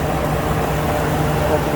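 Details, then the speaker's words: 2011 Ford F-350 6.2 V8 at idle after a serpentine belt pulley bearing replacement, reassembled and running: steady smooth even idle beat, no squeal or chirp from the belt drive; normal idle, belt noise gone. "so there it is back together and running again"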